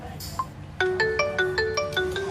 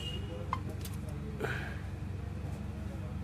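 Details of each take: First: Xiaomi Mi Note 5 with intermittent, fading ringer problem, after the ringer/speaker unit was replaced; clear ringtone at full volume, no buzz or distortion: normal ringtone playback. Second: Xiaomi Mi Note 5 ringer fault, after drying it with hot air; ringtone starts loud then its volume sinks fully down while the area gets slightly warm: loudspeaker volume fading.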